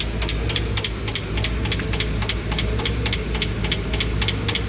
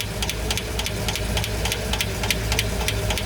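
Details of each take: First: Engine with the right cylinder bank's valve train open: light, quick ticking about four a second over a steady idle; the hydraulic lifters are pumped up and sound normal again after earlier noise, with a slight oil leak noted. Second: V8 at idle: a quick, light tick at roughly three or four a second rides over the idle; noisy hydraulic lifters suspected, not confirmed.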